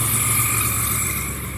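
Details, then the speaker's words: 1994 Chevrolet S10 at idle after an ignition cylinder replacement: a steady high squeal holding its pitch over an even idle; owner believes it comes from the AC compressor. Squeak at idle. "I still hear a squeak yeah it's definitely that AC"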